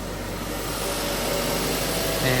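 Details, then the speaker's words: 2007 Mazda MPV 2.3 petrol automatic idling after an oil and filter change (5W30): smooth, steady hum, no ticking, knocking or squeal; oil pressure light off, no warning lamps. "So oil pressure light is off, engine sounds good, No warning lamps coming on here."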